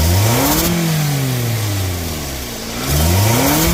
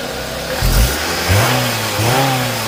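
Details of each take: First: 2nd-gen Scion xB engine revved four times, each rev bringing a sharp airy hiss rising with rpm from a leaking exhaust flange gasket between manifold and pipe after the catalytic converter; pulsating RPM and power loss on acceleration. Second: Scion xB second generation after repair of loud engine-bay hiss, pulsating rpm and power loss on acceleration: engine catches and revs cleanly, pitch rising and falling smoothly with throttle, no hiss or stumble; runs healthy and responsive.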